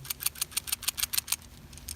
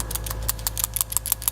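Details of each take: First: Old PCV valve removed from a 2000 Saturn SL2 and shaken by hand gives a dull rattle; a new free-moving valve, heard here, gives a crisp, sharp clicking rattle of about seven clicks a second. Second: 2000 Saturn SL2 at idle after cleaning the PCV valve, pipe, grommet and hose; quick light clinks about six a second over a soft idle, more clinking than before; rusted worn PCV valve rattle, to be replaced.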